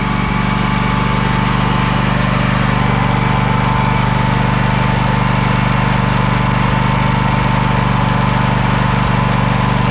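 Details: Craftsman DYS4500 riding mower, 26 hp Craftsman Courage engine, revived after sitting over a year; steady even thrum at constant pitch, no misses or knocks; smoking a little but runs well; normal running, needs new fuel cap and fuel line.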